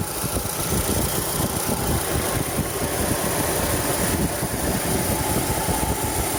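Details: 2011 Chevrolet Cruze 1.8 at 207,000 km, idling: harsh gritty rasp over rough buzzy rumble from the engine, sometimes louder, usually when cold; water pump, serpentine belt and tensioner already replaced, cause unknown.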